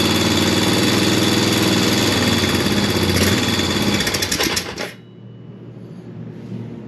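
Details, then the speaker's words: Early-2000s Honda Recon ATV single-cylinder after swapping on the cylinder head from the other quad, run on test gas: quick even chug about four beats a second, then shuts off cleanly; runs much better, no smoke yet. "you can hear this one that runs a lot better than the other one um it's not smoking yet"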